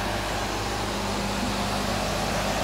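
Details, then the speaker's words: Electric motor after bearing replacement, trial run with fan fitted but cover off: steady even fan whoosh with no rumble, grind or ticking; no bearing sound at all, far quieter than the old bearings, a successful repair. "there is absolutely no bearing sound now. Compared to the old bearings, this is extremely silent."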